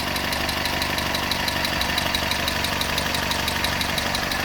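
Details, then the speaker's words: 1971 Datsun PL521 (1600) pickup, warm engine just started, at idle: a light, quick ticking of about two per second rides on a steady idle; the owner notes a little valve tap still to be fixed. "in here there's a little bit of a valve tap I do have to get onto that at some point"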